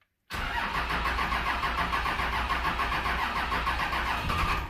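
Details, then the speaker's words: Dodge 2500 with a 5.9 24-valve Cummins, cranking after a VP44 pump swap, line bleeding and added fuel, after sitting in a field for 5 years. Steady fast cranking with uneven puffs that never catch, and a smell of burning diesel. Suspected out of time; cranks but won't start. "come on. Sounds like she's out of time. Ugh. Smells like burning diesel."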